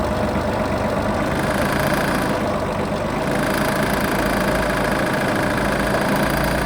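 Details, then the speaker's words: Iseki TM17 mini tractor with front loader and tiller, 627 engine hours: small diesel chugging steadily while loader hydraulics hiss, revs rise and fall smoothly; idle holds even, normal running. "Двигатель работает ровно. Можно погазовать. Обороты поднимает, опускает тоже плавненько."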